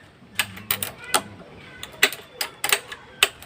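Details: Carb-type Z200/GPR250 (also Gamma200, Sigma250) won't start: display panel blinks and irregular sharp clicks, about one a second, come from under the seat with no cranking or engine sound; clicking with no-start, source unknown.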